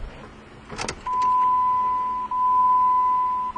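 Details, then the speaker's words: Jeep with brand-new fuel pump and filter, about 5 gallons fresh gas, system empty: after clicks a steady mid-pitched hum with brief dips as pump primes, now holding pressure; normal priming. "all right we got a little bit of action there finally so let's go ahead and try that again and yeah that's much better notice by the way also that it's holding the pressure and that's exactly what I like to see"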